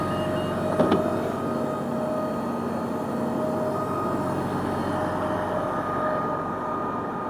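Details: Arriva London LT341 bus on route 76: a steady mid-pitched whine rides over the low drivetrain hum throughout; unidentified abnormal noise.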